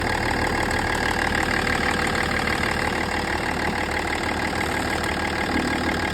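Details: BMW M57 diesel at idle: fast, even tick about three per second riding over the clatter, with vibration; cause not pinned down.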